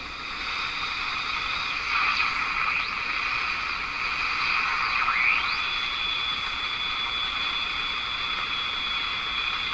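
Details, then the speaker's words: Jewel Model 505 vacuum tube clock-radio after oscillator and front-end alignment, outdoor antenna connected, volume full: steady hiss with sliding whistles and only a faint voice underneath; weak AM reception buried in static. "It's a station there. Hear the voice? There's a voice there."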